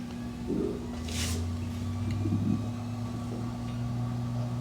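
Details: SanDisk G-Drive 6TB external hard drive, powered by included wall adapter and connected to a MacBook by USB-C, spins up: low hum settling to a steady tone with a few soft clicks; ordinary spin-up.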